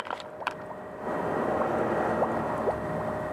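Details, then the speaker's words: 1997 Honda Civic 1.6 SOHC VTEC, cylinders pressurised to 100 psi with a homemade leak-down tester, irregular gurgling and bubbling in the radiator; leakage found in cylinders 4, 3 and 1, suspected blown head gasket or cracked cylinder head. "100 PSI on the gauge through the leakdown tester and that's what we got we got leakage in cylinder number four 3 and one and that's how you tell if you got a blown head gasket or a cracked cylinder head just like that"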